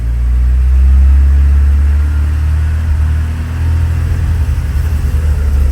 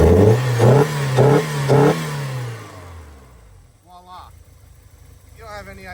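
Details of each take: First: 1984 Porsche 944 idles perfectly but stumbles and breaks up under light throttle, failing to rev cleanly past about 2200 rpm; owner had swapped fuel pump, airflow meter, computer and fuel pressure regulators without curing the misfire. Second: 1984 Porsche 944 after fixing a long-running poor-running fault that a computer swap had not cured: four quick throttle blips about half a second apart; engine picks up crisply and drops back cleanly, revving freely.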